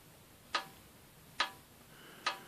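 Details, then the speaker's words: Morris Minor engine, head removed, pistons rocked by hand: three sharp separate clicks about a second apart, a lot of slap, with slack on numbers 4, 2 and 3 from connecting rod bearing play, though very little bore wear. "hear it? That's a lot of slap. The same in that one. Number 4 and number 2 and 3. A bit of slack in it."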